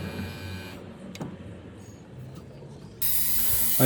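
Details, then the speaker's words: Crash-damaged Tesla Model S Dual Motor air suspension compressor: quiet, then steady loud hum and hiss as it builds pressure; normal compressor operation, though an air leak was later suspected. "So this is the little compressor for the suspension. It's building pressure."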